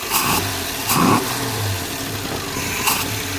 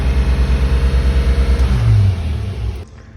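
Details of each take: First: Car with a newly installed Holley Sniper EFI, idling later after a vacuum leak was found on first start: fairly steady idle with no stumble or hunting, some handling noise around it; normal idle. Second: Car on first start after a Holley Sniper EFI install: uneven, loping idle pulsing about three times a second, then a short rev before it cuts out; unsteady running from a vacuum leak.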